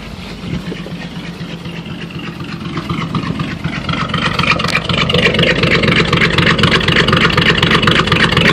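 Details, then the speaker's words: 1954 Chevy 210 with muffler replaced by a straight pipe, rest factory pipe: even exhaust pulses about four per second building as revs climb, raw open rasp; healthy engine, not as loud as hoped. "what it sounds like with a a full exhaust system with no Muffler just straight pipe all the way back"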